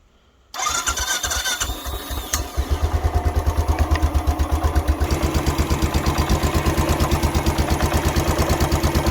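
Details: Royal Enfield Classic 500 on its centre stand, started after its first run-in oil and filter change and left ticking over for two minutes: fires straight away, even deep thumping idle, no knocks. Running fine.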